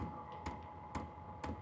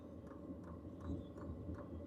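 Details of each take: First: H-Calory diesel heater priming at level 1 on start-up. Sharp, evenly spaced dosing pump ticks about two a second over a faint hum. Ticking slows once running and gets faster at higher heat levels. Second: H-Calory diesel heater with a replacement WAYSKA dosing pump, priming with the shell off. Soft, even ticks about two a second under the fan hum, much quieter than the original pump; the fans are louder than the clicking. Normal.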